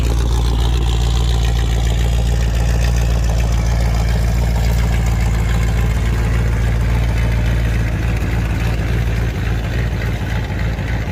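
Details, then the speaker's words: 1978 Chevy Nova Concours V8 with new high-flow muffler; deep burble holding fast steady idle that never settles; vacuum hose found detached and fitting pulled out of carburetor: high idle from vacuum leak. "what the heck is causing this thing to idle so high uh didn't even leave the driveway and the things idling up a ton and somehow this vacuum hose it's not attached"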